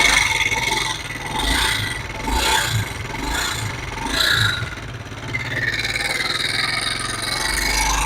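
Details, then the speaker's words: Honda CD70 motorcycle engine: rough scraping grind with swelling metallic rasping while running, a dangerous noise; timing chain failure with oil pump gear damage. "जैसे की आप देख सकते हैं खतरनाक आवाज़ ए रही थी ये आवाज एक क्यों आई है किस वजह से आई है मुकम्मल डिटेल इसी वीडियो में शेर होगी"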